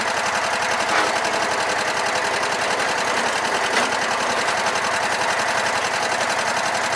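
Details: Sears Craftsman mower, Kohler Command engine, after no-spark repair, clutch wire fixed, new fuel and new spark plugs: quick, steady chuffing beat around four pulses a second holds even throughout; runs cleanly.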